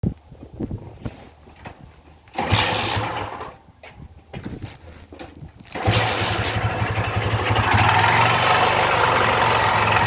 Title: Moto fan 125 com barulho estranho no motor